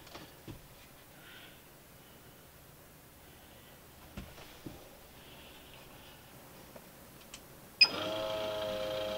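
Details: MaxxAir MaxxFan Deluxe 4500K RV bathroom roof vent: whirring motor with rapid, uneven, extremely loud clicking as the automatic lid drives; the lid operator mechanism is broken and needs replacing.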